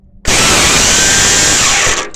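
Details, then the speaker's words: Briggs & Stratton petrol engine that won't start: high steady electric whir about two seconds then winding down, the starter motor spinning; fix is replacing it with a new one. "so this won't start because it's worn out get the compression of the engine new one"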